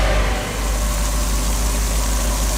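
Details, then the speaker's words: Engine-driven water pump after rebuild with new impeller and repaired threads, pumping from a 1000-gallon tank, seals not leaking; steady low engine drone with even hum, no knocks or rattles, running smoothly under load. "pumps working finally because I was ready to give up on"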